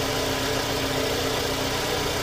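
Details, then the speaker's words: Scion xB at startup idle after an engine flush, oil change and an anti-friction oil additive; smooth, even hum with no knocks or ticks, noticeably quieter than before; normal idle. "everything seems to be running good the motor is a lot quieter"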